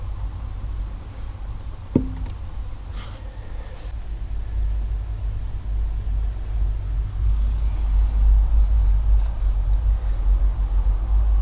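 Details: 2012 Vauxhall Insignia 2.0 CDTI 160 diesel: one dull knock right at the end of clutch pedal release, also felt through the foot, over a steady diesel rumble; cause unknown.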